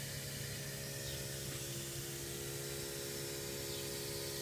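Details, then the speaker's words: 1990 Volvo 760 Turbo under a boost leak test, pressurized through a PVC cap at the turbo-to-intercooler pipe, gives a steady airy hiss; boost leak, suspected partly at a loose idle air control valve hose. "as you can hear that hissing sound I've got a boost weak and I think I think that's where part of its coming from at least coming from the idle air control valve"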